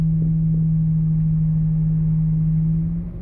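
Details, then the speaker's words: Class B bus air brake test with the engine throttle raised slightly. A steady drone drops away as the compressor unloads, the governor cutting out at 126 psi against a 130 psi maximum, so it is working properly. "the air compressor governor callahan 126 psi and it's working properly"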